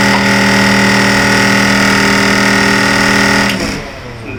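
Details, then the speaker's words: Kitchen exhaust fan, all four mounting screws tight, running: loud steady humming buzz at constant pitch; vibration from worn rubber mounting bushes. "तो यह exhaust fan है यह अच्छे से tight है सब कुछ है फिर भी यह बहुत आवाज करता है"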